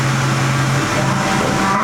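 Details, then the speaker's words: 6.4L Powerstroke diesel with newly installed built transmission, just fired up, shifted into reverse then drive: steady, even idle with no clunk or flare; reverse and drive engage cleanly. "Oh yeah, she's in reverse. Goes in reverse. Drive is good. Perfect. Everything's good there."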